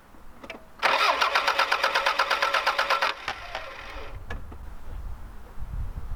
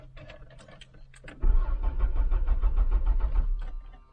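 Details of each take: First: Vehicle with half-full tank of fuel from 2015, something sprayed in intake: starter churns at a steady fast beat for a few seconds but never catches; crank no start, owner suspects bad fuel, fuel pump not heard. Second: After some clicks, the starter spins the engine with an even chug for about two seconds at a good, healthy cranking speed; normal cranking, engine does not fire.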